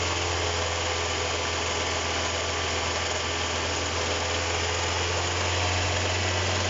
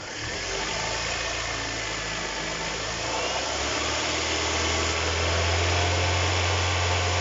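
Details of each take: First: Kia Cerato engine running with reported knock traced to alternator, lower alternator bolt found loose: harsh rough grinding hiss over idle, constant with speed; worn alternator bearing, replaced with used unit. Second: Kia Cerato after the generator with a collapsed rear bearing that caused the engine knock was replaced: idles then revs up smoothly, even hum with no knocks or rattles; normal running.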